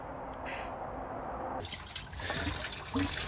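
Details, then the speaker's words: Microhydro turbine penstock, valve at the bottom closed, pipe filling from about 270 feet uphill: irregular watery gurgles and splashes as trapped air bubbles out while the pipe fills, which is normal when charging a penstock. "I open the valve and you can hear the the air Gergely they're gurgling that's all the water that's in the pipe in the penstock"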